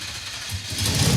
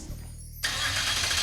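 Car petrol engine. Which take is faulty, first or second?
second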